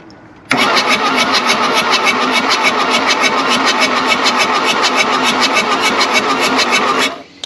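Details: 1979 Mk1 VW Rabbit diesel, long-dormant, cranked with all four injector lines loosened to bleed: even, brisk cranking at about three and a half beats a second, no knocks or scrapes; good oil pressure, injectors pushing fuel.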